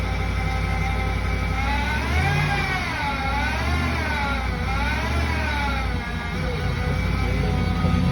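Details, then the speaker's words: 2020 Ram 5.7 eTorque: whine rising and falling with revs every time it accelerates, almost turbo-like; likely a worn idler pulley bearing, before swapping the pulley. "Can you hear that? Kind of whiny, and every time I accelerate."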